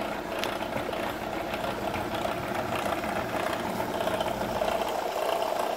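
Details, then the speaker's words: ACME handsaw vise and filer running during first inspection before clean-up: a continuous clatter with a loose knock near 100 a minute. The pulley is loose because its set screw is missing. "now for the bad news that noise that noise is because well you can't see down in there but it's missing a set screw and it looks like that's forum only where the set screw was"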